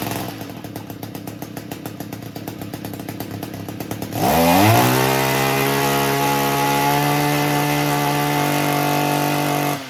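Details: Echo string trimmer that kept stalling, after turning the high-speed carburetor screw slightly counterclockwise: rapid idle putter, then snaps up to a clean, steady high-pitched scream and holds without bogging. Repaired, normal high-speed running.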